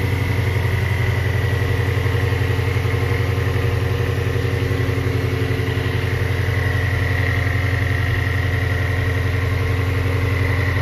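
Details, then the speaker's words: 3,800-mile 2019 Shelby GT350 at first start after Whipple Gen5 3.0 supercharger, catless long-tube headers and oil pump gear install, in neutral: deep steady even idle, smooth lope, no knocks or ticks; good oil pressure, slight exhaust smoke. Normal idle. "here goes nothing guys wow it started right up good oil pressure thank you a little bit of smoke from the exhaust check the belt"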